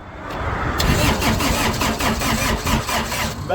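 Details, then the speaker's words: Laymor sweeper diesel engine, customer complaint of no crank and no start; after bleeding the injector lines, the starter grinds over sluggishly, about five turns a second, and never catches; the battery is running low, so it needs a jump start and glow plug preheat. "battery is going low okay we're going have to jump it off"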